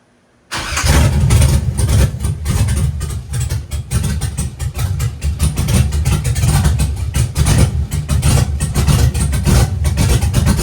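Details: Chevy truck with LS-swapped big-cam V8 revived after sitting for years, no water pump fitted, while tuning cranking timing (18°) up to ~30°: catches after short crank, strong steady rumble, no misses or backfires; running much better than before.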